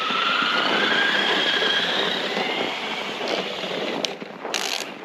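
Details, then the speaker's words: 3D-printed URSA RC monster truck with two 540 27-turn brushed motors, driving in snow: motor whine climbs with throttle with rough skipping chatter; no slipping at low speed. Drive gears slipping under load. "but you can see as soon as i add some temperature fall you can hear the slipping still runs pretty well though"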